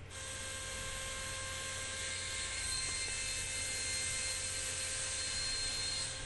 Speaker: because it the chill is going to make a really loud groaning kind of squealing noise and that noise will be coming from the the compressor